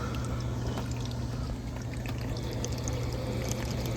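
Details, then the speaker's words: Home heat pump AC air handler that froze up, run in heat mode to melt the evaporator: wet, gurgling slurp over a steady low hum as air is drawn through unsealed gaps in the cabinet; air intrusions need taping up. "You can see the slurping going on. We've got air intrusions. They all need to be taped up."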